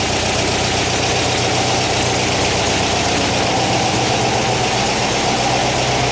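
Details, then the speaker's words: 1959 VW single cab pickup, replacement air-cooled engine at idle with generator-driven cooling fan feeding heater boxes: loud steady beat with busy fan rush, no misses or knocks; normal healthy idle. "The lights are off. Sounds good, I like it."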